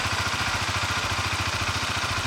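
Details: Honda CBR150R at idle after engine overhaul fixing metallic knocking from a broken internal bearing and noisy clutch housing: quick, even single-cylinder putter with steady beat and no knock or rattle, idling smoothly.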